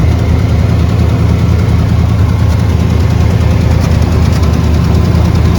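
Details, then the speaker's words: Chevy C10 V8 at first start after a new exhaust install with slip joints and some welding: deep even idle with soft, uneven puffing about three a second, pointing to a suspected minor exhaust leak. "I hear some exhaust leaks, though. Very minor, but I hear them."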